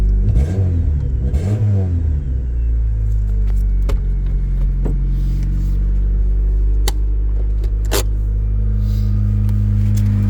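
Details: Impounded Honda Civic DX, manual, recently fitted with a new distributor cap and plug wires: cranks briefly, catches in about two seconds, then settles to a steady even idle with no knocks or misses; normal start and idle.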